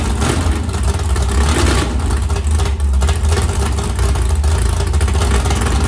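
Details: 769hp 409ci Ford 351 Cleveland on engine run stand, after starter grinding fixed: strong deep note rising and falling with throttle blips, no knocks or rattles; healthy running engine.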